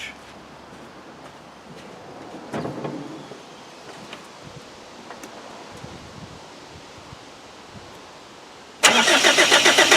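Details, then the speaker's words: 2.5 naturally aspirated diesel after leaking seals were replaced and an intermittent starter-wire fault was fixed: a cold start needing little glow heat fires abruptly into an even, loud clatter, with initial smoke that soon clears; a normal cold start. "so let's fire it up so it will need a little bit of heat but not much"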